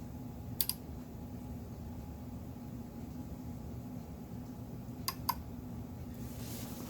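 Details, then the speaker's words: Samsung 58-inch plasma TV PN58C550G1FXZA found discarded: sharp relay clicks in pairs every few seconds over a quiet hum, no picture, red light blinking, failing to power on; suspected broken solder on transistors or transformer. "What it's doing is, it's got the clicking sound. It's clicking."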